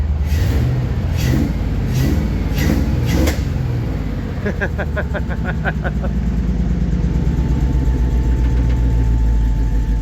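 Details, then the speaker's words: 1954 Chevy 3100 project truck V8 idling after a miswired pin was corrected: deep, even low rumble with a steady beat and no stumble, sounds to be running on all cylinders; normal idle. "It sounds like it's running on all of them though, but all right. Success."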